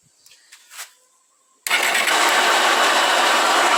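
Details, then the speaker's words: Honda 160 motorcycle engine running: a loud, steady high hiss from the cylinder head, not a rocker-arm knock. It occurs in neutral, stopped and riding; the owner doubts it is the clutch bearing. Finding: camshaft bearing noise. "eu sei se deu para ouvir aí o barulho certinho como está fazendo tá com chiado bem forte aí acontece em qualquer em qualquer."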